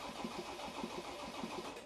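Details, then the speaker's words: Land Rover Defender with a newly swapped diesel engine, first start after the DIY swap, no coolant yet and fuel rail relearn pending: it catches and settles into an even idle with steady combustion beats; running smoothly. "I think we're on to a winner then. Tomorrow we'll finish it off. I feel like I timed that perfectly. I've been gone for like 4 or 5 hours and then just came back and it started right up."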